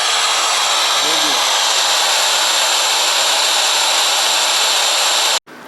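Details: FM receiver tuned to 92.5 after the transmitter carrier was turned off: a steady, even rushing hiss with no programme, then a sudden cut; the receiver is sitting on a dead carrier.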